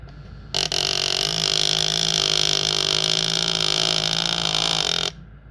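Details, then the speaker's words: Direto motor jamming: a harsh buzzing grind starts abruptly, holds steady for about four and a half seconds, then cuts off as the motor gets stuck. "Here you will hear the noise, grinding noise that it makes as the motor gets stuck."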